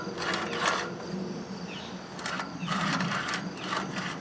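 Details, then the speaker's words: Craftsman riding mower, about 2010, 19.5 HP Briggs & Stratton single-cylinder, shroud off, engine turned by hand: slow crunching, scraping bursts each sweep, like something rubbing inside; flywheel magnets had come loose and were rubbing, fixed by re-gluing them. "There's a lot of noise in there. Almost like something's rubbing inside."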